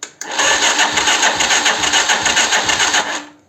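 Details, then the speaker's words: 125Z motorcycle: slow, labored cranking at about 3.5 turns per second with an intermittent cracking noise, sometimes failing to start; Bendix suspected, worn, burnt starter brushes. "Bueno, como verán, de repente se alcanza a escuchar el tronido que hace."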